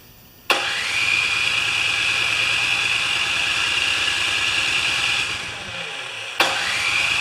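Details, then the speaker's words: Craftsman 24-inch 9HP snowblower after plug thread repair, primed and choked, gas on: starter cranks steadily about five seconds, stops, cranks again with no firing; two problems found. "something's not right here guys we've got two problems yeah we got two problems"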